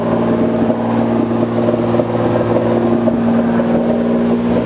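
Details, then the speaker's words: 2JZ-swapped Nissan S14 with new full exhaust, idling after fixing misfire and mid-RPM breakup (pin 76 cut on ECU harness): steady even idle, smooth constant drone, no misses or stumbles; runs cleanly now. "So I cut 76 on the ECU, or on the harness, and we'll give her the startup for you. And it runs so good now."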